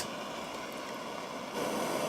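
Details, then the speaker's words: Butane jewelry soldering torch with the flame toggle turned up: steady, even hissing roar that steps louder as gas increases, no sputtering; burning cleanly. "i can increase the size of the flame just by toggling that switch back and forth for me i like to have it about three quarters of the way over"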